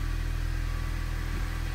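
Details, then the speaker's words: 2004 Honda Civic with check engine light, code P0303 cylinder 3 misfire: idle has a steady, lopsided thumping pulse instead of a smooth hum, rumbling and stumbling; the cause turned out to be a leaking head gasket. "p303 cylinder 3 misfire detected all right let's write it down three start it up for you doesn't sound good at all"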